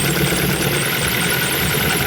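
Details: 2000 Ford Focus 1.6 petrol idling unevenly with a lumpy beat, missing on one cylinder that gets no spark; it loses power when revved. Plug leads are pulled in turn during diagnosis.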